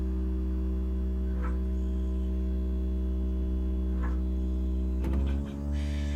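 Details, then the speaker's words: 2001 MINI Cooper R50 fuel pump run on its own to drain the tank; a steady electric hum, then the pitch rises and wavers as the tank empties and the pump sucks air; a pump running dry. "now it's starting to get air you can hear it trying to suck"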